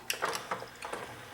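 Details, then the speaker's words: Sony CDP-CE305 five-disc tray/turntable CD changer, cover off, open button pressed: quick run of light clicks and short gear whir as tray slides out, smooth with no grinding; mechanism fine. "it opens up just like that now what we've got in here is we've got our basic we've got the gears that that open and close and turn the disc locations"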